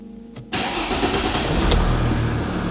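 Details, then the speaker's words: Mercedes ML350 with a rebuilt replacement engine, first start after long cranking to prime a bone-dry fuel system: catches abruptly, flares and settles into a steady even idle; clean start, some warning lights on. "Look at that. Beautiful. Obviously we've got a few lights on we need to look at. But it runs, and just listen to it when it revs. It sounds good. It sounds really good."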